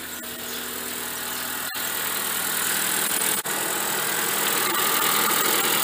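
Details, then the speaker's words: Ford Fiesta at idle in park with AC switched on to test a cooling fan suspected of not running and overheating: steady airy whoosh builds and holds evenly, no rattle or wobble; fan comes on normally after a few seconds. "ini langsung hidup ya motor mobil Eropa itu tidak seperti mobil-mobil yang lainnya mobil Jepang atau segala macam itu motor fannya dia butuh waktu beberapa detik biasanya antara 5 atau 10 detik lah ya"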